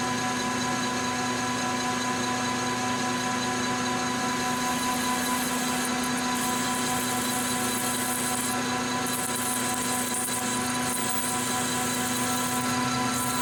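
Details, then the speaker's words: Lathe turning a part to size for a tool cutter height gauge: even unbroken cutting hiss over steady motor hum, no rhythmic chatter or interruption — smooth continuous cut, tool on axis. "good sign doesn't sound like it's an interrupted cut so it sounds like we're pretty much on [Music] axis"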